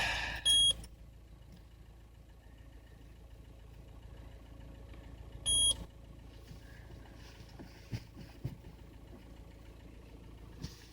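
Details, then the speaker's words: Frozen Citroen C5 diesel being jump-started in winter: two short, high chirps about five seconds apart over a faint engine hum, the dash warning for an engine immobilizer fault. Owner has never seen this fault before and suspects summer diesel in the cold. "What the fuck? Engine immobilizer fault."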